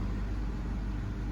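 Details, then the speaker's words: 2013 Honda Civic after spark plug replacement for a cylinder 1 misfire (P0301): a low, smooth, even four-cylinder idle with no stumble, shaking or vibration. Normal idle. "All right, let's start the car and see what's going on. There you go, guys. No vibration. Everything is well."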